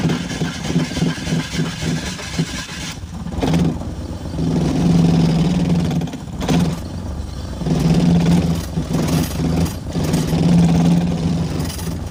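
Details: BMW Z3 engine, sat for a long time, hard to start: catches and revs in uneven surges with lumpy irregular beat, no steady idle; plug or coil issue suspected, injector check possible; misfire, rough running.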